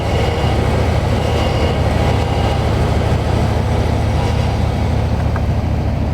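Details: Car power steering after freeing seized kingpins (penetrant, grease, worked by hand) and bleeding air from the system, wheels turned: steady low engine drone, wheels turn easily without jerks, no pump whine; normal power steering operation.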